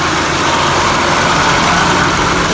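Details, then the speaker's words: 2002 Toyota Camry idling after the A/C clutch relay was swapped with the horn relay: compressor engaged, A/C light staying on, cold air coming out; smooth, steady idle with an even low hum, no knocks or squeals. "ac light staying on there cold air coming out awesome so that's it with uh switching out those relays the horn with that ac clutch relay"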